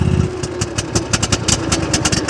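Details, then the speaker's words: Comparison mower with choke deliberately applied: lumpy, uneven firing with skipped beats and a struggling low note, barely running; rich running from applied choke. "Sounds like the choke is on, but it's not. Watch this. This one's my personal mower. Hear how much better that sounds? But listen, I'm gonna put a choke on, make it sound just like that"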